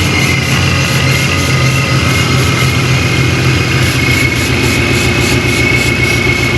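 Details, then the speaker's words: Procharged S197 Mustang GT V8, cold start with a raised idle that sits too high and a constant blower whine, no hiss or hunting. No vacuum leak was found; the owner plans to clean the throttle body. Otherwise it sounds healthy. "Obviously it's idling right now. It's a cold start though, so it still has it's still up, but it sounds healthy."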